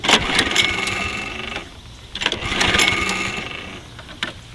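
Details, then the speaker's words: Toro Personal Pace mower model 20332, stored with old bad-smelling gas; recoil pulls give quick rattling spin-ups that die with no firing after linkage and choke cleaning; cranks but no start, owner suspects carburetor clogged by old gas. "so let's just show you what it's not doing which is not starting anymore it still does have gas in it it's hard to start to in there I won't start at"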